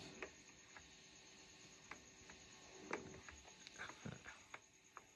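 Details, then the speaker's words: Soundcraft Signature 12 mixer being repaired after rat urine damage and worn faders: on channel check, a faint steady hiss with scattered clicks that stays when volume is pressed. This channel has noise, a hiss fault. "ซ่าเบาตัวนี้ซ่านะครับนี่ก็ซ่ากดวอลุ่มแล้วมีปัญหานะนี่ตัวนี้มีปัญหานะครับ"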